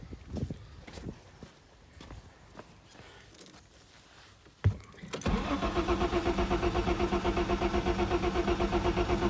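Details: Ford Sierra Estate Mk1 4x4 Ghia 2.8 cranks steadily at about four even compression beats a second but never fires; owner suspects a faulty or poorly seated cold start injector.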